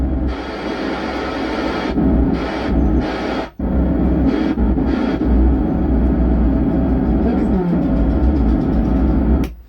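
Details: 100 W amplifier board with 4440 IC: music comes through a harsh, boomy rumble that persists even with volume turned down; a strange sound also appears at power-on before playback; the output is distorting, cause still unknown.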